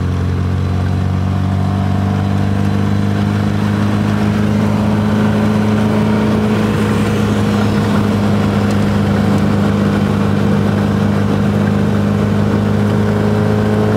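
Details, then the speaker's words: Triumph MKIII Spitfire (Weber carburettor) test drive after fitting new Centric PQ Pro glaze-busting coated disc pads replacing worn pads: steady engine and tyre drone while slowing hard out of gear, no squeal, grind or pulsing; normal quiet braking. "hear is nothing you don't want to hear a brake squeal or anything"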